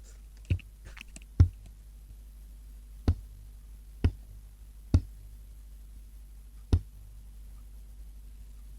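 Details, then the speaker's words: Export tube amp with voltage selector, no output; mic against speaker at power-up. Steady low transformer hum with sharp irregular pops through the speaker. Rectifier and output valves lit with heater voltage, yet no sound; popping cause unknown. "Okay, dual light has come on. Hopefully you can all see that I can hear transformer hum."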